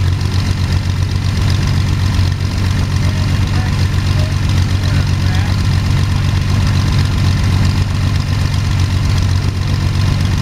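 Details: First start of Jabiru 3300 six-cylinder in plans-built Sonex with Rotec TBI, 50 hours on engine, mixture full rich, oil pressure 42, charging: low steady rumble, even firing beat, no knocks, misses or rattles; sounded really good, normal idle.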